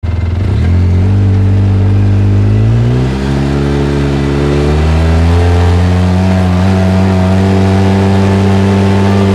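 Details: Polaris RZR engine sweeping down through the revs with a steady rushing, grinding drone as it slows; whoosh on deceleration, source unclear.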